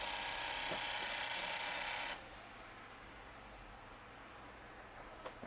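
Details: PlayStation 2 slim laser drive at power-on: about two seconds of harsh grinding rasp, then it stops dead; cause not yet known, end-position switch suspected of sticking.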